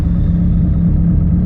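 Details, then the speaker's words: Honda with EJ8 D16 engine and eBay turbo kit on a custom tune, cold idle: heavy low rumble with an uneven, stumbling beat; misfiring badly because it runs super lean, even with long-term fuel trim at 17. "it's cold 1819 so there's no wonder why it's missing when it's cold it's missing like crazy right now it's super lean it's just terrible"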